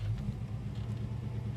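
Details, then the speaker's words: Holden HK V8 cold start after a night of about 7 °C parked outside: low, even burble with no lifter ticking or top-end noise; the motor sounds healthy and quiet. "so uh this is a cold start uh no lifter noise no nothing Motor Squad as a mouse"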